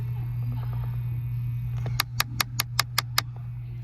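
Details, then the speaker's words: 2014 VW Eos 2.0T after replacing one temperature flap motor and basic setting: seven sharp clicks, about five a second, over a steady hum as a flap still jams; second faulty flap motor (V158/V425) suspected, needs replacing. "Sounds like it's still jamming. It's supposed to have a smooth transition in there."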